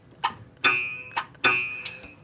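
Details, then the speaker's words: 1967 Buick Riviera sitting over 20 years, first start attempt on original parts with poor battery cables: sharp metallic clunks in uneven bursts with ringing but no cranking; starter won't engage, something possibly caught. "Sounds like that starter doesn't want to kick in."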